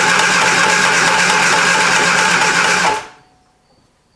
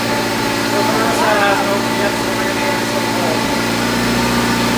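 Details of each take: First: 1973 Triumph Spitfire after sitting 3 years, cranking with choke in: about three seconds of steady cranking with a repeating tick once per turn; suspected something striking. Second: 1973 Triumph Spitfire, first run after sitting three years and reconnecting wires, hoses, distributor, carburetor and fuel parts: steady, even idle with a smooth constant beat and no knocks or stumbles; sounds healthy.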